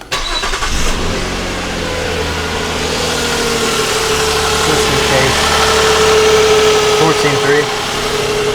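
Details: 2007 Nissan Quest starting for a no-load charging test: cranks, catches quickly and settles into a smooth even idle with steady mid tone, no squeal or knocking; normal idle, alternator not needed, serpentine belt was the fix.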